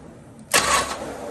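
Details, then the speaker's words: 1968 Mercury Cougar after refitting and adjusting the starter, which before barely engaged on the edge and ground badly: quick, clean starter engagement cranking the engine, no grinding. "So before, like, the engagement wasn't enough, so it was barely catching on the edge of the starter. So that sounded like crap, but right. This is what it should sound like, I think."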